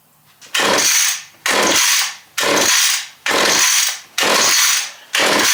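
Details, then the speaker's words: Stihl 031 AV chainsaw with good compression, pulled over on choke: about six rasping rope pulls with no firing; spark confirmed, so no fuel delivery, later fixed by cleaning and readjusting the carburetor. "Chain spins over. That's not too tight. Check the spark. We have spark, unfortunately. Uh it means we're not getting fuel."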